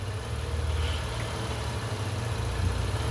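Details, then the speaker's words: Engine with a roughly 1-inch resonator tube disconnected from the intake manifold, lean with O2 sensors switching: idle keeps swelling and easing instead of holding steady; idle surge from a large vacuum leak. "The O2 sensors are switching again. But I don't know if you can hear the engine in the background is surging."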